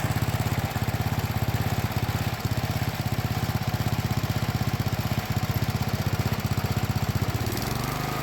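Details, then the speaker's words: 30-year-old John Deere 165 Hydro lawn tractor after fitting a Cub Cadet muffler in place of the stock one, run hot to burn off paint: small single-cylinder thumping evenly with a quiet exhaust and no leaks; normal running. "Yeah, no leaks. Success."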